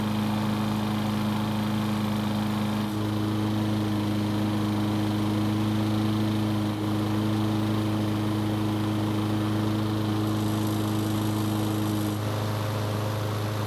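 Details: Troy-Bilt XP push mower after no-start repair and blade sharpening and balancing: steady, even drone with no misses or knocks at one constant speed; the small engine runs cleanly.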